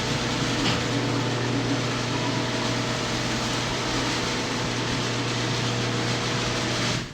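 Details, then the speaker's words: Second garage door opener triggered via app, opening: even low motor hum for about seven seconds, then stops; smooth, no grinding; normal operation. "if I go to the EV link I click here and the other garage open too which you can see in the voice cam it's opening up"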